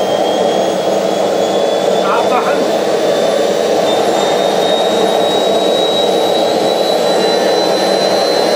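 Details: Homemade jet engine 4.0, second test run, ignited by a new ceramic glow plug: steady roaring rush with a thin high tone drifting upward that never builds, because thermal expansion made the rotor/turbine hit the housing; fix planned by machining housing on the lathe.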